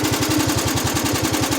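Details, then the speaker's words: GX75 mower at low throttle: fast, steady low pulsing at roughly twelve beats a second, a throaty purr with the clutch engaged; abnormal, cause unknown. "it's purring. It's not a cat, so it shouldn't be purring. That's for sure."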